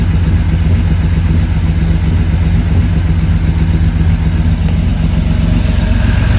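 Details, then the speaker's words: 1963 GMC Suburban barn find, first start after sitting: fresh plugs, cleaned points, running off a bottle, choke off; steady, even low idle with smooth regular beat, no knocks, misses or ticks — healthy normal idle. "crank it all right crazy good spark it choke on or off leave it off it wants to go keep going [Music] [Music] sounds healthy too"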